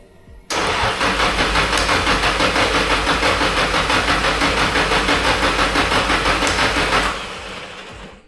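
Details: SR32 engine on Link ECU, first start attempt on the initial base map: steady cranking about three beats a second for six seconds with no firing; fuel pressure dropped, no injector clicks heard; cured later by switching to the Link's preloaded base map.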